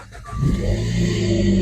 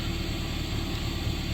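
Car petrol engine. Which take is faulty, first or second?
second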